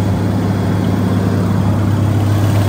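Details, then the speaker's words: $100 barn-find Massey Ferguson 300 tractor, first run after revival, slightly warmed up: deep, even six-cylinder idle with a smooth steady beat and no knocks, misses or rattles; runs healthy. "that sounds good. Heck yeah. It runs! Yes. God, that's got a sweet sound."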